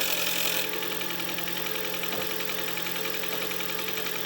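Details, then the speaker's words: Toyota Prius (20/30) hybrid at cold start, microphone near engine; rough uneven idle with one cylinder missing and a loose rattling knock from the flywheel damper between engine and transmission; injectors previously found bad. "ну вот отсюда вы уже знаете как гибрид trade вот отсюда болтается я не знаю там электромотор между двигателем и коробкой там где маховик демпфер катана постукивает"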